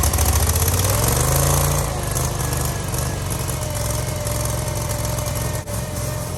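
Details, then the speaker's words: Gravely zero-turn mower, first run after cleaning the flywheel magnet, coil and spark plug and freeing a stuck choke linkage: the twin's fast throb wavers and hunts after a higher rev; the carburetor needs tweaking. "sounds like we got a little bit of tweaking to do to the carburetor"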